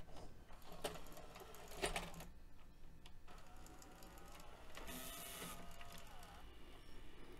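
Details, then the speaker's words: Mitsubishi HS-U760 Super VHS VCR (1996), after replacing two belts that had caused a whirring non-working fault: crisp clicks and a brief motor whir as the cassette ejects and reloads smoothly; tape mechanism working normally. "and it appears to be back in business"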